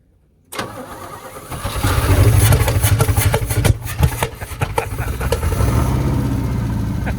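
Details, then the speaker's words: Old Chevy squarebody truck that would fire up, run 10–20 seconds and die: brief crank, catches, then runs lumpy and uneven, stumbling and surging, sounds like garbage; rough running. "I'd say it sounded like garbage, together, the old Chevy truck. The issue with this thing was it would fire up, run for a few seconds and die."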